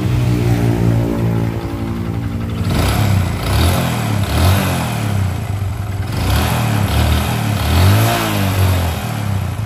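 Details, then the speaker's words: Honda Supra X 125 motorcycle engine idling and revving with a rough, hard clattering knock from the middle of the engine, a sign of a damaged connecting rod. "mesin dan ini salah satu ciri-ciri stang piston yang sudah kena"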